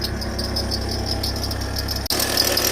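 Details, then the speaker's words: Audi A3 TDI 140 diesel at idle, customer complaint of noise: faint high squeak repeating intermittently, much louder earlier; hot smell noted; mechanic suspects the alternator's half-seized freewheel pulley. "Ça fait un petit bruit quand même. Qui cuic. Tout à l'heure c'est ça faisait vraiment fort."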